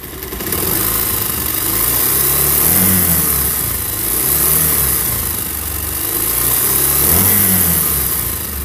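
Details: Pulsar single-cylinder motorcycle revving up and down with a light, busy rattle riding over the engine note; loose timing chain noise.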